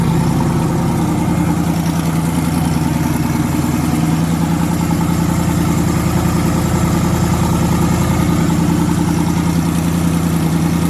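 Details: Twin-turbo V8 truck, first start after the twin-turbo conversion with fuel line retightened and no boost controller yet: deep, even idle with steady regular beat, no misfire or stumble; all eight cylinders firing cleanly, normal idle.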